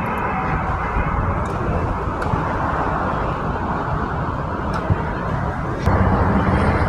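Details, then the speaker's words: Honda motorcycle started on side stand switch safety test, before stand is lowered and cuts the engine: soft, quick, even putter with street noise behind, no knocks or stumbles; normal idle. "motornya sudah hidup motornya sudah hidup"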